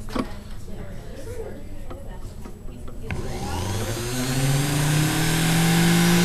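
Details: Vintage sewing machine series-wound motor after WD-40 lubrication: soft start into a smooth, rising whir that settles steady, no knocking or scraping; runs healthy.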